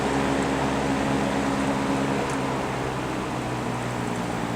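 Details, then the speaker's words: GE box fan with worn single bearing letting the rotor drop and hit the stator, after material was trimmed to give clearance: steady smooth hum at high speed, no rattle or scraping, only slight normal motor vibration; no longer rubbing. "it sounds so much nicer that sounds great still got a little bit of vibration just from the motor running but that's normal so it's not hitting no more"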